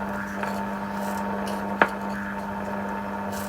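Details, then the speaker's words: Philips Australia Model 1052 valve mantel radio under restoration, receiving shortwave but set to medium wave: only steady low hum, faint hiss and a click, no stations; no medium wave reception, oscillator suspected not working. "not getting anything on medium wave still. It really sounds like the oscillator's not doing anything."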